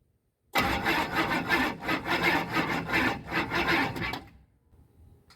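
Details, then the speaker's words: 1988 Chevy C2500, 6.2 diesel with Banks turbo, over 400,000 miles, said by the seller not to run: labored cranking at about three strokes a second for four seconds without firing; slow cranking no-start, starting fluid next. "that don't sound [Laughter] good o that don't sound good at all well I'm going to give her a little starting fluid to hopefully help her start"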